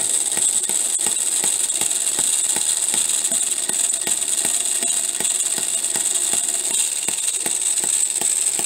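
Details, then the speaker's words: Homemade miniature 4-stroke hit-and-miss engine at about 1500 rpm. Quick steady ticking over a high gritty whir; the poor-quality timing gears are making a lot of noise. "so one thing i'm a little disappointed in is the ears i had some gears that i used and uh they weren't very good gears they're making a lot of noise which i think takes away from the appeal of the engine a little bit"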